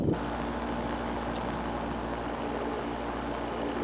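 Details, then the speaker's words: Fresh Breeze Simonini 122 two-stroke paramotor idling after on-field reduction belt repair: steady even drone with no repeating chirp, so belt tension is right; normal idle. "If the belt is loose when it's at idle, you'll often hear a little chirp, like a chirp, chirp, chirp, chirp, chirp, chirp, chirp, chirp, chirp. And I don't hear that, so that's good."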